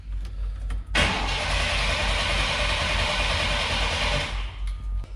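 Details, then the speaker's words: 1993 Chevy Cheyenne work truck during tune-up, new coil fitted: about three seconds of even cranking without firing; no start, distributor pickup believed broken, whole distributor needs replacing. "then I somehow broke the pickup's inside the distributor and I'll have to replace the whole thing"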